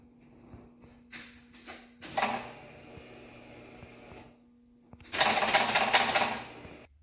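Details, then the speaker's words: 2006 Pontiac Solstice with Ecotec engine, start attempt after fitting a new cam sensor: short bursts of rapid clicking and chatter at each key turn, engine never cranks; no-start with suspected wiring/ground issues, only code P0013 camshaft sensor. "Okay. We tried to start the car. This is the noise that it made."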